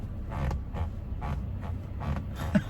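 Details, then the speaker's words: 2020 Toyota Tacoma seat: dull creaks and rubs as weight shifts in the seat, heard only with someone seated; the seat is contacting and rubbing against the center console. "we get this point you guys down it's coming from right here and it's because the seat is actually contacting the center out uh console"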